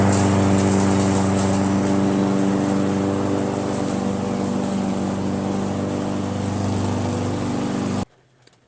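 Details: Briggs & Stratton mower engine with a Pulsa Jet Prime plastic carburetor, after its diaphragm and gasket were replaced: a smooth, unbroken drone for about eight seconds, then shut off, running perfectly.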